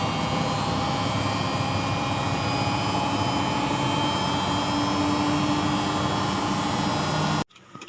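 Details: Single-tub washing machine during spin: constant rough roar with faint steady whine throughout; worn drum bearings rumbling, bearing replacement needed.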